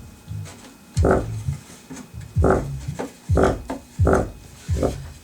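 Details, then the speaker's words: Subwoofer playing music makes a buzzy, papery rattle/knocking on every bass hit; teardown found the paper cone split around its edge, repaired with glue. "but you can hear the rattle in there so that's what's wrong with it"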